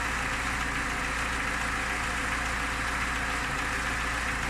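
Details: Niva engine at steady idle with a dull, repeating tap underneath; an engine knock of unclear origin that needs further checking.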